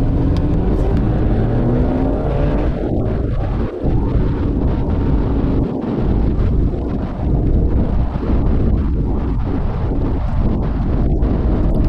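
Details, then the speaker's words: 2010 Dodge Avenger 2.4, about 123,302 miles, road test after front wheel bearing replacement: only even tyre and road rumble at cruising speed, no growl or hum rising with speed; bearing noise gone. "no more noise that's good all I hear now is tire noise to be expected"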